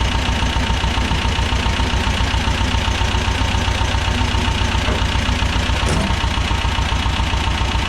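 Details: 1985 USSR-built Belarus 250AS diesel tractor, sat unused about 8–10 years, running after injection-pump timing and fuel-supply work: steady diesel clatter around 220 firing pulses a minute, even with no stumbles, settling into a smooth healthy run.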